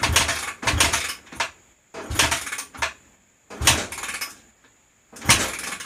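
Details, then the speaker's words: 2004 Honda CRF250R before valve adjustment: kick after kick about every second and a half, engine never catches; leak-down about 84% with air escaping through the intake; hard starting from tight intake valves losing compression. "Okay, about 84% leak down. And we're coming out of the intake. You can hear it loud as day in there,"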